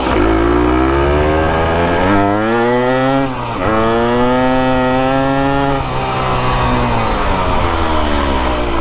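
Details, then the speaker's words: 1973 ATMX two-stroke after kick-starter and clutch work, ridden up the street: revs flare ahead of road speed in rising sweeps with each gear, a slight clutch slip even though the parts measure fine. "you can hear the clutch is still slipping just a little bit but this thing flat scoot no idea why that clutch is slipping everything measures"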